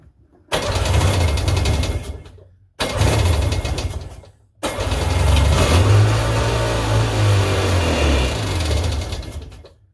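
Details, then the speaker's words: 1999 Sea-Doo GTI two-stroke with rebuilt single carb, new fuel lines, 148-150 psi compression, first fire-up: two brief catches, then an uneven wavering idle. Surging idle; the idle needs adjusting and owner suspects the fuel selector switch. "that selector switch might be causing that surging issues"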